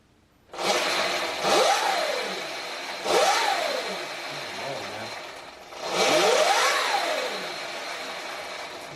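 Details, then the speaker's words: Sur Ron Light Bee electric bike with KO factory-spec controller after firmware update and throttle calibration: three throttle blips, clean whine rising and falling with speed, no knocks or grinding; motor running normally. "Well, hey, it seems to be running okay."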